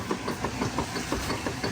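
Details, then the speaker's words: Kenmore 600 direct-drive washer, model 110.29622801, after center seal and clutch repair, agitating with rhythmic thumping about six knocks a second over sloshing; slight transmission knock considered normal. "Transmission's got a little knock to it. That's okay. Sounds like my machine at my house. Knock knock knock. That just means it's working, baby."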